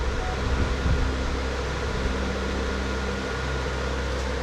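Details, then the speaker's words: Closed-case BTC-S37 mining rig, 6x RTX 3060 Ti, extra rear fan added: steady even whoosh of several fans with low hum, no rattle or ticking; cooling fans running normally. "sachant qu'il ya deux il ya trois vitesses sur le voilà je pense que même en vente je pense qu'en vitesse 2 ça suffirait aussi et on gagne encore 3 décibels en boîte dans les 73"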